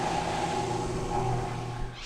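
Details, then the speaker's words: Maytag Performa top-load washer that had leaked a long time: motor drones with a low hum and strained whirr but the tub does not spin, because the tub bearing has rusted and seized after the center tub seal failed. "so what's happened is the tub bearing itself because of the unit leaking for so long uh has rusted up and is totally seized so right now that whole transmission should be rotating which it's not"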